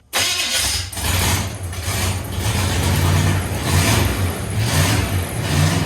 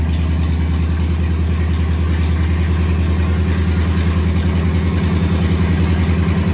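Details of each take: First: 1969 Chevrolet C10 truck V8, junk carburetor not getting any gas, fuel poured down the carb: engine catches and runs unevenly, surging and sagging with no steady idle; carburetor not supplying fuel. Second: 1969 Chevrolet C10 truck V8, newly got running with brakes bled: low, steady burble with an even, slightly lumpy beat holding its speed; settled idle with no knocks or misses.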